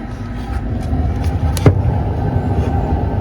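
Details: Blower motor of a small Walcker pipe organ in a Lutheran church in Kazan: a low, even hum with only one brief tick. It runs quietly and does not heat up.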